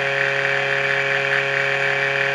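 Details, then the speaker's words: Cifer 2486 Intelligent Terminal with external 8" floppy drive, unused since 1982, first power-up after ~32 years: loud steady high-pitched screech over the drive's hum, owner thinks the rear fan; no smoke, fan needs attention. "That noise is sounds like the rear fan. There, how was that? That scared me. I think that's the rear fan on it."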